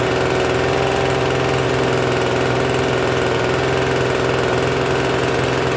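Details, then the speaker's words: Free Troy-Bilt TB272V two-stroke leaf blower, restarted after sitting and being worked on: steady buzzy drone well above normal idle with no dropping back, still idling a little high even with the adjustment turned out as far as it goes. "Still runs a little high. Oh, so it still runs a little high though, unfortunately."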